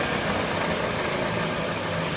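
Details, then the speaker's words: Pickup truck front wheel with tire removed, hub spun by hand: steady rough purring rumble, louder with speed, no clicks; worn front wheel bearing. "al momento de girar se oye esa especie de ronroneo ronquido. Ahora con la velocidad pues se escucha todavía más fuerte."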